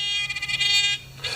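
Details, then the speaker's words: A thin, reedy electric buzz that stutters, then holds steady before cutting out from a beginner metal detector pinpointer's vibrator alert; it is too faint to hear at the beach or over a furnace, and gets louder when pounded. "But it's a vibrator in there, and when you're on the beach, you can't hear that. So I've noticed that when I pound it, it gets louder."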